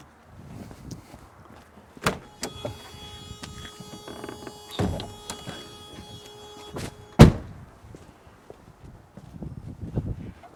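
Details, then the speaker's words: W123 Mercedes 240D hood: after lubricating the latch and catch plate, the hood still gives a steady groaning squeal with scraping between two thunks as it lifts, still staying attached on one side; upper latch plate with elongated holes seems to need adjusting. "Nope. Okay. Now I'm pushing down on it. See, it's still staying kind of attached on this side."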